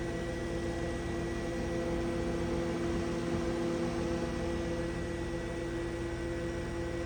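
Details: GE Hotpoint refrigerator after condenser fan motor replacement: steady, even fan hum with constant low tone, no rubbing, ticking or rattle; new condenser fan motor sounds healthy.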